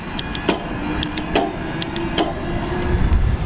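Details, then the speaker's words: New 2021 Diamondback Bosch-equipped e-bike, few miles, test ride: sharp metallic clacks at each rear gear change over soft motor whir; loud clunky shifting, thought to be normal break-in, unconfirmed. "pretty loud shifting back there i don't know if you can hear that clunking and clanking on camera it is a new bike"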